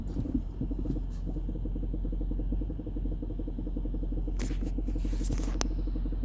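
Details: 2015 Range Rover Sport L494 SDV8 4.4L diesel, 2-speed transfer case: rapid steady knock at idle from the lower front left, heard from underbody and cabin, in park and drive; revving suppresses it, then it returns. Cause unknown, possibly behind the underbody shield.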